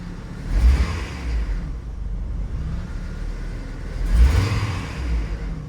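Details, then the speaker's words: 2006 Hummer H3 with rough idle and stalling: engine note swells on light throttle, then sags and dies; O2 readings drop lean and rich, with a faulty O2 sensor or catalytic converter suspected, not confirmed. "There is I barely gave it gas and it shut down on me."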